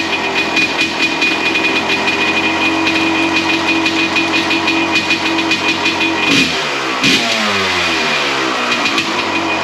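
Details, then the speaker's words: 1993 Honda CR250 two-stroke after crank seal and other repairs, revving; sharp, raspy, tinny crackle over the exhaust; too noisy, owner thinks the muffler needs repacking. "A little noisy. We'll might have to address that now. I think it needs a muffler repack. That's a little too cracky for my liking,"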